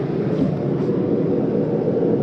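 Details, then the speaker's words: 2025 Jayco Jay Flight SLX 262RLS travel trailer, furnace just shut off at the thermostat: steady even airy rush with no rattles or knocks. Blower runs on for a minute or two to cycle through before stopping, which is normal. "that might take a midle or two to cycle through before it shuts off"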